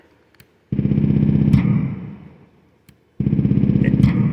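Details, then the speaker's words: DIY synthesizer drum circuit built on an LMNC super simple oscillator, after a button-wiring fix: buzzy low tone bursts start cleanly with no pop on button press, though a pop remains on release. "and you notice there's no more popping noise whenever i press the button"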